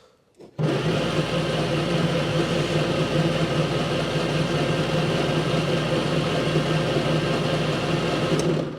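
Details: 1954 Austin A30 barn find laid up since 1971, previously seized engine, stale fuel, fuel confirmed reaching it: starter whirs steadily about eight seconds with no firing; frayed coil lead found afterward, cause not confirmed.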